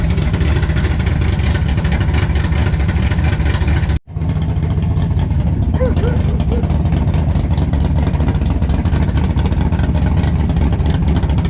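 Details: 1957 Chevy pickup big-block V8 at first fire-up with the new exhaust (Black Widow mufflers, 3-inch mandrel-bent pipe): deep, loud, steady rumble with an even lumpy beat and no knocks or rattles, a healthy idle.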